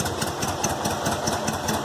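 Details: VW Fusca (Beetle) air-cooled petrol engine idling after tightening loose cylinder head bolts: even steady pulse, the earlier strange exhaust-less roar gone.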